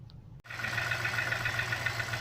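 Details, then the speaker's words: BMW X5 cold start after sitting parked: rapid, fairly even knocking over low hum, seemingly from the top end, worsening over time; quiets after about ten minutes warm — engine knocking at cold idle. "you guys can probably already hear that we have a knocking noise it sounds like it's coming from up top somewhere so you could really hear when you're outside down here"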